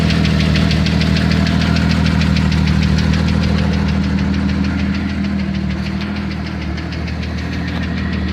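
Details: 1992 Jeep Cherokee XJ 4.0 at steady idle: regular knock about three per second over the low engine rumble; owner suspects a flexplate bolt or piston slap, unconfirmed.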